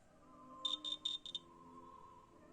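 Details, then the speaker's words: WOLF Shield carbon monoxide detector, first unit, test button pressed: only faint short scratchy chirps instead of a loud alarm; sounder weak, while the second unit gave no sound at all. "sort of a scratch a low volume scratch this one [Music] goes nothing nothing at all huh"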